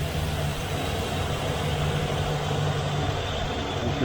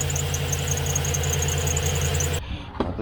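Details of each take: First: 2015 Silverado 2500HD 6.0L with a squealing serpentine belt, after the power steering pump pulley was laser-aligned: steady, even idle rumble with no chirp or squeal; the belt drive now runs quiet. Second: 2015 Chevrolet Silverado 2500HD 6.0L at idle: shrill chirping squeal pulsing rapidly then cutting out; serpentine belt still slipping after power steering pump pulley alignment with laser tool, before fitting new Gates belt.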